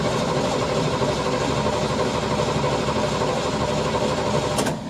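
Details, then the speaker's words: 1974 Corvette V8 idling after power steering fluid fill and belt check, drag-race prep: dense steady idle, no squeal, chirp or knock from belts; some leaked fluid burning off on headers, no leaks underneath; normal idle. "those things are running for good for now we just have some uh fluid that leaks uh that's burning off on the headers but belts and everything looks really really good"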